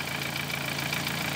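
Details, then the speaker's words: 2013 Dodge Forza with a strong engine fault and no misfire codes stored: petrol idle with an uneven, stumbling beat under a steady high whine. Cylinder misfire at idle, coils checked in pairs 1/4 and 2/3. "primero vamos con la falla de cilindro no sale como les dije reflejado fallas de cilindros y el carro está fallando"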